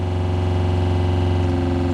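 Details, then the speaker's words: RV freshwater pump after low-cost silencing fixes, mic inches away; low, even hum with a soft steady pulse and no rattle or buzz, nearly silent with the door closed. Normal quiet running. "and I mean, I'm inches away and it's not that loud. And if I have this door closed, it's really pretty silent."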